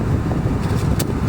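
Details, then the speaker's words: HVAC blower motor that stayed on all the time, after soldering repair: steady rush of air with a smooth motor hum and no ticking or scraping while cycling speeds up to max; normal blower operation, now switching off properly. "Beautiful. Always cycle the speeds. Right there is max. God damn, this thing blows."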